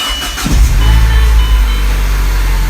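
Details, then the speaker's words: Mini Cooper S started right after an oil change (about 3 quarts regular oil plus Rislone) with coolant checked: short crank, catches at once into a steady even idle, no rattles, no warning lights; normal start. "Sounds good. No lights, no nothing."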